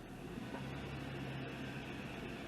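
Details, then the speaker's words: 2003 Acura TL after replacing the ignition coil for P030X misfire codes and flashing check-engine light: even, steady engine note with no stumble or shaking; smooth normal running, fix confirmed. "all right i can tell instantly uh it's fixed uh it's running real smooth and it's not shaking like it was"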